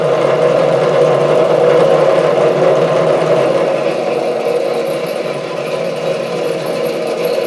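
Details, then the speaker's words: Chinese SC2 mini lathe parting off 316 stainless steel at half the usual chuck speed: harsh, uneven chattering rasp that fades as the workpiece slips in the chuck, knocking it off centre. "There was it started slipping in the chuck. That is the last thing that I want to happen."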